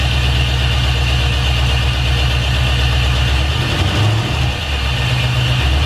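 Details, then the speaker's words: Honda S2000 with a brand-new replacement LS V8 swap, first start on conventional break-in oil after priming oil pressure: loud, steady, even idle with no knocks or ticks; the engine sounds healthy. "how'd you hear the motor sounds fantastic this is the new replacement motor and it sounds great"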